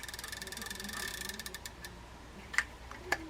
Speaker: this should be just a little bit of side to side plate you hear that knocking that side-by-side knocking is just what you want just a little tap you don't want it if it's wrapping it's too much